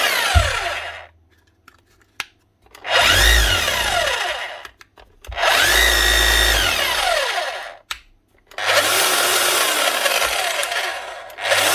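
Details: Makita HR3210C SDS Plus hammer drill (auction-bought) after tool holder, grease and O-ring replacement, brushes nearly new, run through all settings holding a chisel: bursts of strong, even motor whir and hammering, clean starts and stops, no grinding or rattle; runs like new.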